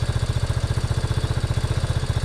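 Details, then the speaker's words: 1987 Yamaha Big Bear 350 4x4 running only on choke, with an uncleaned carburetor and a pod filter with no airbox (possibly lean): an even, regular single-cylinder idle thump with no skips or knocks; normal idle. "so it's all right for the moment I'm just listening to this motor sounds good"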